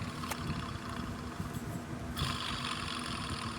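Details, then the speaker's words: 1988 Dodge Ram 50 mini truck, checking each engine pulley by ear: gritty, rough whirring that grows harsher; this pulley bearing is by far the worst, alternator only slightly noisy. "you can hear it this one not so bad this one's the best this one has a little noise alternator little bit of noise but this is by far the worst one"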